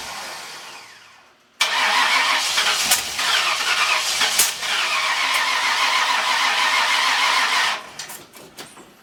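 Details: Freshly installed 302 engine with new cam: even cranking about three turns a second for six seconds, never fires; owner suspects ignition timing off, possibly 180 degrees out.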